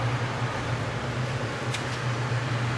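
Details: Port-A-Cool Cyclone 2200 evaporative swamp cooler after replacing the broken submersible pump and fitting the media, with water percolating: steady low fan hum and even airy rush, no rattles or scraping. Normal running.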